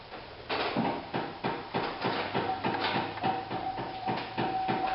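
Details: Rapid loud clicking about three a second inside the cabin of a 2008 Chevy Impala, engine started in cold March weather; the failed vent blend door actuator needs replacement.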